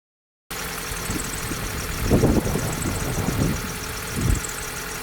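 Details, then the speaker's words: 2004 Vauxhall Corsa C 1.2 petrol, off the road two years, idling after a full service with fresh oil and a new fuel filter: steady, even rumble, no knocking or ticking, no leaks. Earlier it was noisy at the top end. "So that's sounding good."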